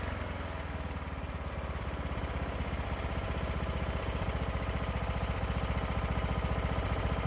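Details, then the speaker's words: Craftsman riding mower engine after valve seat repair, replacement valve, carburetor mixture and idle set by ear around 1100–1200 rpm: steady idle with slight burble and flutter, mixture not fully dialed in. "so here you can kind of hear that it is running steady but it's got a little burble to it you know just a little bit of flutter"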